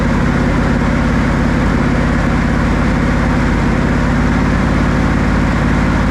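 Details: Buick 455 big block (built to 461) in a 1971 Electra 225 during cam break-in, held around 2,000–2,300 rpm, oil pressure about 50 psi, temperature rising: even deep rumble at raised speed, no knocks, ticks or misses; healthy.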